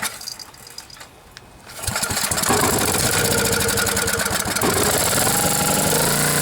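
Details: Generac generator, 10 hp Briggs & Stratton, after blown head gasket replacement (head bolts 165 in-lb), cleaned carb and new plug, choke held open. A few quiet pulls, then it catches and runs steady and even. Healthy start.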